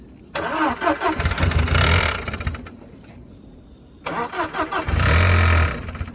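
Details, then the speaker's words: 2004 Volkswagen Passat 1.8T, jump-started; starter cranks in two rapid bursts with a pause but never catches; sounds like it's out of gas, cause unclear: crank no start. "sounds like it's out of gas"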